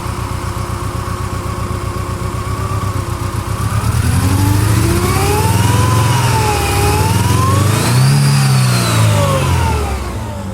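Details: 1999 Mercedes-Benz C230 Kompressor four-cylinder petrol engine revved, with an uneven, stumbling exhaust pulse under a rising whine: misfire on cylinder four.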